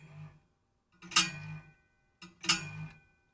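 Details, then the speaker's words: Computer power supply fan spun by hand through the case: rough, grunting whirr that rings briefly and dies away, caused by very dry fan bearings. "It's kind of grunting. Maybe if I use something plastic, you won't hear the actual knocking of the... There you go. Yeah. So, it's just dry bearings."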